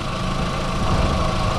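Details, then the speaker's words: 2004 VW Golf 2.0 idling with the compressor just cut off, after the new A/C belt install (old cracked belt had squealed with A/C on); seems quieter. Smooth, even idle hum with no belt chirp or squeal: normal idle. "just cut the compressor off D better still on does seem a bit quieter"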